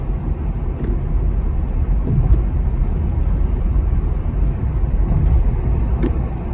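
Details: Heard from inside the car, constant deep droning rumble from the rear tires, loud even around 15 mph, unchanged by side-to-side loading, sometimes louder decelerating; mistaken for a wheel bearing, caused by wavy, unevenly worn tread.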